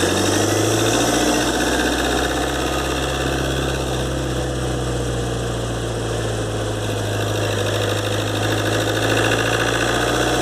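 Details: 2013 Ford Transit 2.2 (7G) diesel, warm, phone under the bonnet while driving, after turbo repair (compressor wheel, bushings, seals, actuator rebuilt): a thin high whistle rides over the even diesel drone. Repair failed; owner suspects imbalance.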